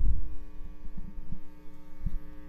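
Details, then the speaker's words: Marshall JMP Super Lead 100W (mid-70s), recapped with stock tubes and an added master volume. Master and regular volumes near max, 1971 Telecaster Deluxe into a custom 300W 4x12, mic at the speakers: faint steady hum with soft thumps, normal low residual hum. "Quick sound of the guitar with the master volume all the way up. Alright, and then there's barely any hum at all."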